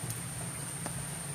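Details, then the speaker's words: Washing machine wash motor turning a worn, broken gearcase: loud, rough grinding hum with rattling knocks, like grinding stone; water leaking near the gearcase; gearcase needs replacing. "ito ang gear case. Palat tandaan na sira na yan. Sobrang sobrang ingay. Parang nagigiling ng bato."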